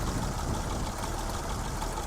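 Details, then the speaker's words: Survivor classic pickup (either the 1936 International C1 or the 1967 Chevy C10), rewired, converted to an electric fuel pump, leaks some oil: low, even, soft idle with no ticking or knocking, purring smoothly. "Let me start it up. Nice and easy. It just purrs right along."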